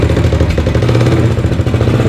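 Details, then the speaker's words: Blue 300 four-wheeler, cold, after new carburetor (was running too rich, bogging) and head/valve cover off with timing chain adjusted: steady even single-cylinder idle with slight cold clatter, no stumbling; runs like a champ. "I tore the head off, I tore the valve cover off, adjusted out the timing chain, got it dialed in perfect. And now it runs like a champ."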